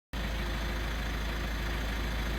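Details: VW T6 Transporter diesel idling with a fast, gritty rattle and no performance from a twin turbo failure. Oil was found inside at the back and had clogged the DPF, which needs cleaning; removing the engine makes the job easier.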